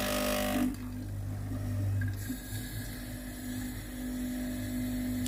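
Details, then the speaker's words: Philips GC9682 steam iron (complaint: no steam, leaking at the front) on a system test: boiler heats and steam escapes, low even pump hum with rapid pulsing, and water flows from the steam button. Normal pump operation. "La chaudière a commencé à chauffer et de la vapeur s'est échappée. Il y a un bruit de pompe à eau qui fonctionne."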